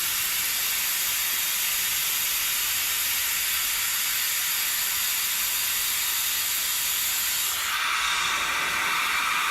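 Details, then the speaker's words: Air-driven vacuum extractor pulling hydraulic fluid from a John Deere 110TLB backhoe loader at 4100 hours during a hydraulic oil change: constant sharp airy hiss, holding level and easing slightly near the end; working fine. "So you're gonna hear the hissing here. Hold on. It's gonna be hissy. This thing's gonna have a little hissy fit on us."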